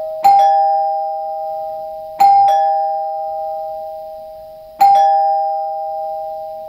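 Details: Newly installed Dimango/Thomas & Betts door chime replacing a NuTone L-30 Chord-Tone: clean two-note ding-dong struck three times, about 2.5 s apart, ringing evenly. Chime works normally but is barely audible from outside, quieter than the old Chord-Tone.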